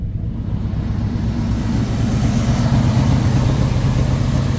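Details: 1959 truck started on a random battery after sitting two years; it has oil pressure. The old engine runs with a steady low rumble and a slightly uneven beat. The owner suspects a cracked or leaking exhaust manifold or a misfire, not confirmed.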